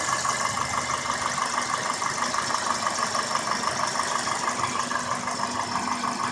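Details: 2002 Toyota Corolla S, 1ZZ-FE engine, steady idle: light, even tick about three times a second riding over the engine; source of the ticking or clicking unknown.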